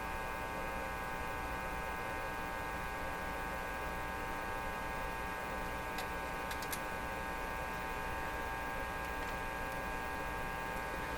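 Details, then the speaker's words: Marconi Model 295 AM/shortwave tube receiver, volume full: steady low mains hum with buzzy edge and no station; band selector likely on phono, not a receiver fault; a possibly loose tube was wiggled. "So maybe this tube was loose, but hasn't brought the radio to life."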